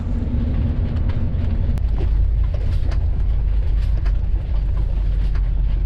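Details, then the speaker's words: 1987 Coachmen Class A motorhome on a test drive after a freshly rebuilt transmission was installed; deep, steady rumble with no stumble or knock, the engine running really smooth. "but she just sounds good it's sounding really good running really smooth"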